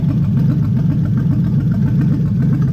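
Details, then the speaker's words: Toyota/Lexus UZ V8 on the Spitronics ECU, first start in this setup with a barely adjusted map. Lumpy, loping idle with gaps, running on 4 cylinders; the owner relates it to a coil-type fault with the cylinder mix-up. "Considering it fired up on 4 cylinders, it actually runs pretty well. So there's something up with this."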